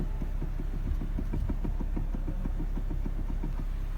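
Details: Mercedes W210 with steering play; the car wanders on rough roads, and an alignment shop found the front end fine. Over a steady idle comes a fast, uneven run of light knocks, about three to four a second, from a loose steering shaft universal joint bolt.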